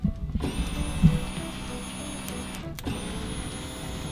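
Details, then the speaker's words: Flood-damaged 2015 Corvette Z06, 7.0 LS7, sat 7 years: fuel pump hot-wired straight to a battery hums evenly with a faint steady high whine, no stutter or grinding; pump works, power to its connector still unchecked. "We can obviously hear the fuel pump running, so that's a good thing. So it should be working."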